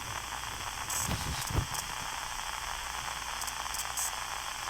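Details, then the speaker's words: Yaesu FT5DR handheld with GPS logging set to one second: sharp clicks, about six in five seconds, pop through the steady squelch hiss; interference clicking in the audio, suspected from GPS logging, not confirmed. "kind of hear that clicking or that kind of static but not not the static in the background that's from the squelch but it's like a click click click click"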